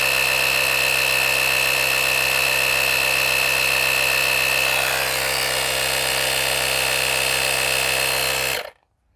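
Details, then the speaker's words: Auxito AJ01 portable jump starter's built-in air compressor inflating a tire from 62 toward 70 psi; steady high-pitched buzzing with rapid chatter, then cut-off; pumping slowly, and the gauge stayed on 62 psi. "It is pumping it up, but it's like it's slow. It doesn't read. It doesn't feel like it reads accurately on something with this high pressure."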